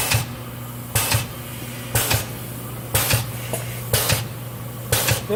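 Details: K&S 973 substrate cleaning/washing station running a shortened recipe with lid closed; steady low hum with a sharp burst about once a second, evenly repeating: normal wash cycle.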